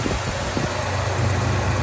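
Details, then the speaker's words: 1975 Jeep Wagoneer, sitting nearly a decade: engine idles smoothly and steadily, power steering pump whirring, fuel pump working, no knocks or misses; sounds healthy. "So, it looks pretty good. It sounds great. Power steering's whirring away, works like a champ. Fuel pump's in there humping away."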